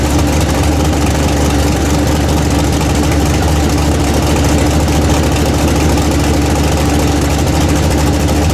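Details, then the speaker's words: Freshly built 406 small-block Chevy V8 in an S10 during break-in, warmed up; steady even rumble with no knocks or misses, firing well and running smoothly. "yeah I like how she fires good drum sounds better"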